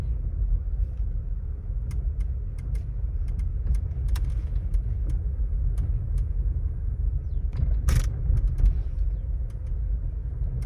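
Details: Volkswagen Taigun GT Plus DSG while driving: irregular light ticks and rattles from the dashboard over low cabin road rumble. An authorized service center could not fix it.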